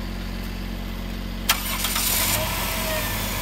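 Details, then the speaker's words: 2007 Dodge Grand Caravan after replacing a broken number two spark plug wire that caused a rough idle and miss: quick crank, clean catch, steady even idle, no longer dieseling; normal start and idle. "oh she sounds way better not dieseling anymore either"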